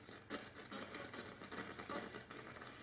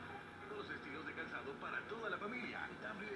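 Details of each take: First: Mid-1960s Arvin 36R07 AM/FM radio tuned on FM between stations: irregular crackles and scratchy bursts over faint hiss while turning the dial; AM is fine, and the owner suspects dirt in the tuning capacitor, not confirmed. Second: Mid-1960s Arvin 36R07 AM/FM radio on its final test after repair: station audio comes through clear and steady with no crackle, hum or fading; playing normally.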